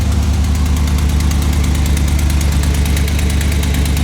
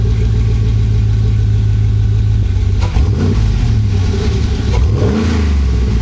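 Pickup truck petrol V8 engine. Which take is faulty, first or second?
first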